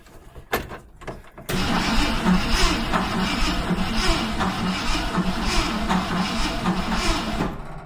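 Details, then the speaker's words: 1971 Ford F100 big-block V8, throttle linkage disconnected, battery going flat: starter churns steadily, about three and a half beats a second, for six seconds without firing; no spark because the coil was wired up backwards. "I've got a feeling I don't have spark. Um, I did kind of just throw the coil back on um with and the wires and stuff. I didn't really like pay much attention to how they came off. Ah, yes. I just wired it up backwards."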